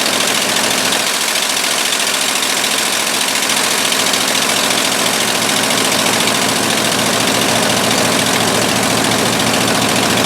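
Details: 1958/59 Ford F600 grain truck with a 330 V8, long unused, after the carburetor float was reinstalled: steady, even idle with a smooth regular beat and no knocks or misses; runs cleanly.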